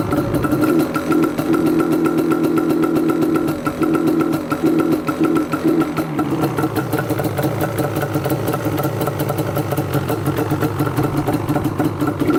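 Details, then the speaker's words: Yamaha Banshee two-stroke ATV warming up, running a bit rich and smoky; steady ring-ding but bogs and stumbles instead of revving out because the engaged parking brake works the choke. Releasing the brake let it rev out. "Let's give it a little bit of throttle here. Sounds like the choke is still on."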